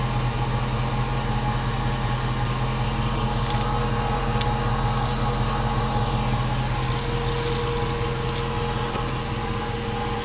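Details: 2004 Jeep Grand Cherokee V8 at idle: steady idle with a faint, irregular whirring tick on top; owner suspects the fuel pump, not confirmed.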